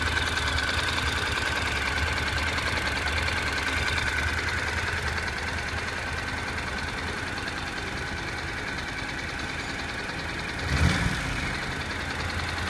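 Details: Honda NC700X motorcycle fully hot at idle: light, uneven ticking rattle about three a second, a rattling/knocking from the right side of the engine that appears only once the engine heats up; source unclear.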